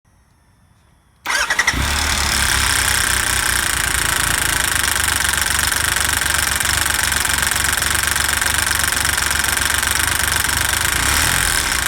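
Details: 2017 Tiger Explorer: a dry metallic clatter rides over the idle right after the engine fires, cam chain rattle that lasts until the tensioner takes up the slack.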